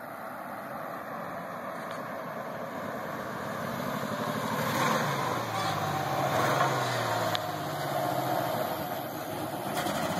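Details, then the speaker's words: 1998 Ford Ranger 4.0 automatic, not warmed up, floored: uneven lumpy chuff about three beats a second swelling with revs, like a train building steam; two dead cylinders and a third going, engine to be replaced. "Sounds like a train building up steam."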